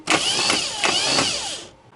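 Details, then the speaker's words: Starter after cleaning its roughly eight-year-old brushes, bench-tested with positive connected: a strong, even high whir spins up instantly for under two seconds, then stops cleanly. Normal starter cranking; brush assembly to be replaced anyway. "Подключаем плюс. Стартер работает. Поменяю щёточный узел, чтобы 100 раз не лазить."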